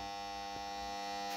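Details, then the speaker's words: Electrical contactors in a panel after one supply input is switched off: steady buzzy hum at constant pitch from an energised contactor; which one hums and why is unknown, silent again after switching back. "ведь слышно же как гудит хорошо только не знаю кто из них гудит"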